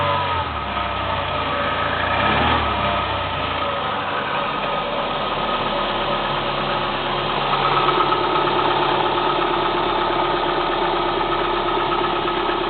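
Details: Kia Spectra 1.6 engine at cold idle: hard, uneven tapping knock roughly three to four per second over the engine hum; source undetermined.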